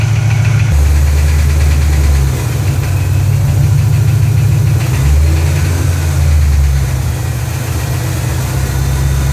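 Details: Ford GT500 V8 at normal operating temperature, idling: faint, fairly quick tick over the low rumble; ticking noise, cause not pinned down.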